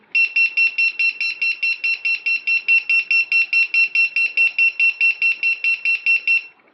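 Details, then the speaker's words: Halo HellGate piezo buzzer, self-powered lost-model alarm fitted in a three-inch quad, activated on an aux channel: loud shrill beeps, about two per second, evenly spaced for six seconds then stopping; buzzer working properly. "all right now the buzzer is set it's ready to go it's all activated"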